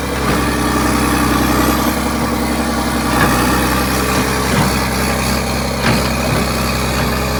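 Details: Vintage 1980s all-mechanical John Deere 790 excavator (48,000 lb) working hydraulics and swinging, not even idled up: steady, even diesel drone with brief load swells, runs clean and strong; healthy engine under load.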